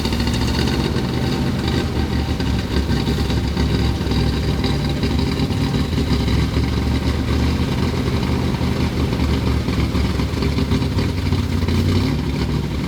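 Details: 1963 Corvette split window, 340 hp V8 with Racer X carburetor, first start after long sitting: deep, even V8 burble at steady idle with no knocks, misses or ticking; normal idle.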